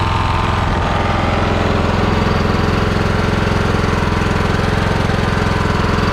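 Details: Husqvarna lawnmower after fixing carburettor fuel leak, fuel turned back on and bowl refilled: steady even putter, solid low thump, no misses or surging; runs cleanly, no leaks seen.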